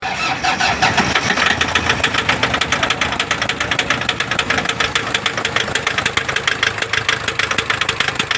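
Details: Toyota Fortuner diesel at idle: a sharp, regular engine knock, about three hits a second, over the clatter. The fault was found through diagnosis and solved, but the cause is not stated.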